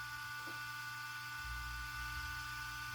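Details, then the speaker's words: RC car cooling fan on external 6 V NiMH supply, spinning up after start: steady high whir with thin whine, fan running far faster and louder than needed; speed depends on 6 V or 7.4 V setting. "ça monte dans les tours vous entendez ça c'est pas moi qui augmente le volume assez le ventilateur qui prend des tours"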